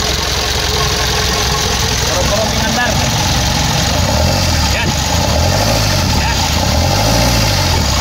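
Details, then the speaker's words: Mitsubishi Canter 4M50 diesel, hard to start, rough uneven idle with lumpy stumbling beat and clatter; injectors no. 1 and 3 faulty, strong return flow at the injector checked after removing both, both injectors to be replaced. "Ayan kita niyo na may tama yung isang injector uno at saka sa tr yan ang tanggalin natin dalawa kasi mahirap andarin saka saado ang"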